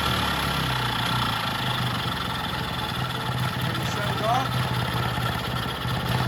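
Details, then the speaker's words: Vintage Jacobsen two-stroke reel greens mower, air filter cover on, choke/run/kill control working, temporary tank with fuel shutoff and filter, no throttle cable yet; steady even low idle putter, no misses or knocks; runs properly. "That all works just like it's supposed to. So I got that all to work good. Runs good."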